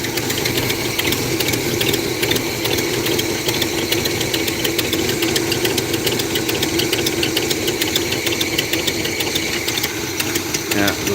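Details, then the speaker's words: Pontiac 350 V8 idling with a fast, sharp ticking over the exhaust note, steady with idle speed; a large exhaust leak at the manifold. "That Pontiac 350 is [ __ ] running. Got a hell of an exhaust leak though up at the at the manifold."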